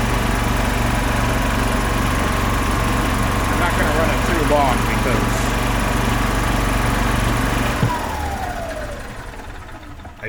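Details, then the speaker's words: 2005 Club Car Precedent gas golf cart, first run after about 5 years sitting. Steady, even single-cylinder putter with no knocks or misfires, then it winds down and stops cleanly; runs healthy, oil light off. "so there it goes wow she's a runner oh that's awesome"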